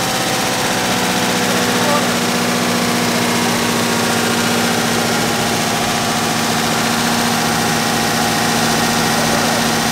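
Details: 1964 car with a freshly installed 318 poly-head V8 that would crank but not start, after ignition timing adjustment; smooth even idle with steady low rumble, no kickback; normal running.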